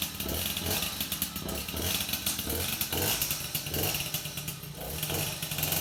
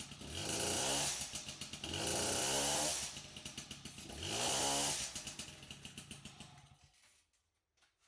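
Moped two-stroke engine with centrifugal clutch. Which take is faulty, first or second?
second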